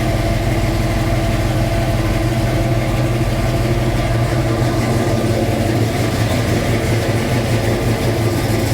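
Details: 1966 Mustang Fastback, new 347 stroker V8 just after first start; even, busy burble held at a raised idle that never settles, owner says carb idle screws need adjusting; fast idle.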